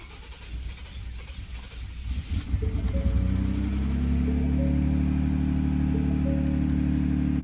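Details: Ford F150 2.7 EcoBoost first start after fitting new Xtreme Di +50% injectors and loading a new tune, about 55% ethanol: fuel pump primes, starter churns, engine catches and settles quickly into a smooth, even idle; healthy start.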